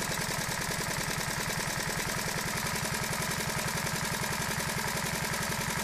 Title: honda novio, first start after a full engine rebuild